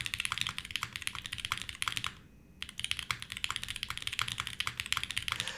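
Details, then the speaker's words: Navi60 custom keyboard with Tangerine switches and O-ring: fast, even keystroke clacks with dulled, cushioned bottom-out, no ping, slight stabilizer rattle; muted sound suspected from switches being a bit over-lubed. "the mutedness might be the tangies they were not heavily lubed but they definitely feel like they were a little bit more lubed than they should have been"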